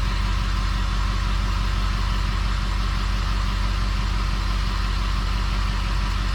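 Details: 6.0 Powerstroke diesel with rebuilt engine, idling: steady, even idle with regular firing pulses of about three per second and no knocks or misses; running healthy.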